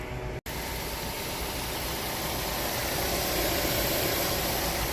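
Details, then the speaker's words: 2010 Mazda6 2.5, first start after replacing a starter that had only been tapping: the starter cranks once, then the engine catches and settles into a steady, even idle with no tapping or misses; normal start and idle. "right that did the trick man"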